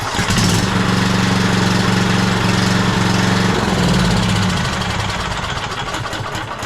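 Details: Cub Cadet LT42 riding mower, Kohler KS540 18HP single-cylinder OHV, briefly run after an oil change to fill the oil filter; catches and holds a steady, even beat, healthy after clearing a fuel line clog that made it die.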